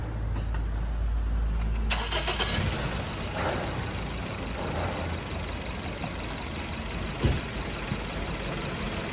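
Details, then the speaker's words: Petrol car with an unstable stumbling idle after the owner replaced 3 coils and the spark plugs: it shakes and doesn't run on all cylinders, a misfire traced by coil checks to cylinder 3. "สังเกตได้เห็นได้ว่ารถมีอาการสั่นนะครับเดินเดินไม่คสุด"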